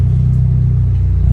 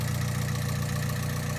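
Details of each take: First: Freshly built Honda Civic VTi D16Z6 (Crower 63443Z stage 3 cam, ported Skunk2 Pro intake) during its initial street tune. It holds a low, even idle around 950 rpm with the AC compressor on, down from 1000 rpm without it, with no stumble: a normal idle under AC load. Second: Honda Civic VTi D16Z6 all-motor build with a new Crower stage 3 cam and ported Skunk2 intake, idling after two hours of running on initial start-up: faint light valve ticking over the low rumble; valve lash needs readjusting once cooled.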